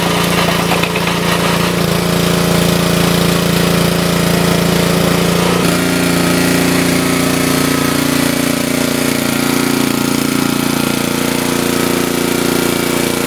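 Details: Wood splitter Honda single-cylinder engine, sat 5 to 10 years, after carburetor replacement (Honda 16100-Z1A-802): steady firm beat, bogging slightly as load comes on around six seconds then recovering cleanly; normal under load.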